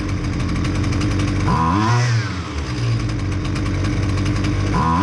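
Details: Husqvarna 128L string trimmer after carburetor replacement for flooding no-start: steady buzzing idle, then two crisp blips to high revs dropping cleanly back; runs and revs healthily.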